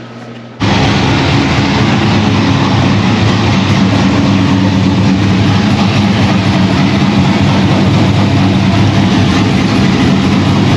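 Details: 2001 Pontiac Trans Am WS6 with a roughly 500hp cammed LS1 on its first start since dyno break-in, still untuned: starts and settles into a loud, choppy, lopey idle with uneven pulses; aggressive cam, running strong and healthy.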